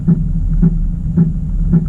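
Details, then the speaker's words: 2018 Chevrolet Camaro SS 1LE fitted with base-model 18 in Camaro wheels, tight full-lock turns in a cul-de-sac: low rhythmic scrub about twice a second keeping time with the wheel, from the front tyre rubbing the brake cooling duct. "I'm going to do some really tight turns in the cul-de-sac here and listen to the noise you hear from running these wheels"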